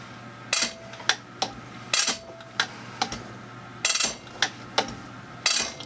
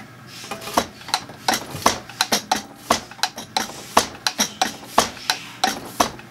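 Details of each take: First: Zexel (Bosch) mechanical injector from a Kobelco SK160 excavator dormant about 17-20 years, rebuilt, on pop tester: sharp crisp chatter bursts, no dribble, fine atomization, opening pressure about 215, within spec; healthy injector. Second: Zexel (Bosch) mechanical injector from a Kobelco SK160 excavator dormant about 17-20 years, on the pop tester before rebuild, popping near 210 bar: irregular sharp spurts, a couple of holes streaming instead of spraying; poor atomization, injector needs repair.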